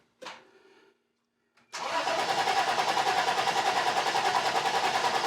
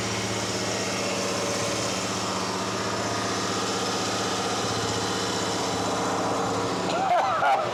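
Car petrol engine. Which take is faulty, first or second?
second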